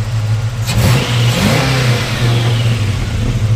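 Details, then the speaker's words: 1940 Mercury 8 Coupe with fuel-injected Ford 351W V8: deep, smooth rumble swells with the throttle and settles back evenly, no knocks or misses; mechanically sound. Healthy rev. "just want to give you a taste of what it look like underneath the hood and you know the sound mechanically it's a great little rig"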